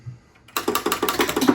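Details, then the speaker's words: Replaced flipper solenoid in Gen 1 XGC virtual pinball cabinet, tested with table volume off: crisp even clacks about eight a second, solid with no buzz or drag; normal solenoid operation. "that Flipper's working but this is the most important one you're not getting table noises"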